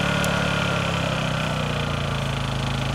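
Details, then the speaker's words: Honda EU2000i inverter generator powering a Roadtrek RV, eco throttle off. A 10,000 BTU air conditioner starts after a 30-second delay. Steady, even engine drone at raised speed with no hunting or surging as the load comes on; it handles the load fine. "as you can hear the air conditioner just started now once it's"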